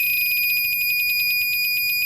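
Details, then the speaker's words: 300 W DC-to-AC power inverter, reassembled and powered from bench supply, green LED flickering: shrill high-pitched buzzer pulses rapidly nonstop with no load hum and no output; inverter fault buzzer, before repair. "it doesn't do anything other than just squeal make a bunch of buzzing sounds there"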